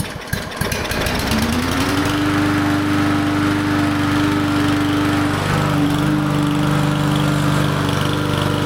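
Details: Small lawn mower engine first fire-up after carburetor cleaning, no air filter fitted, no starting fluid: catches after a few rough pops, climbs to a steady governed speed and holds an even drone; runs clean with no surging.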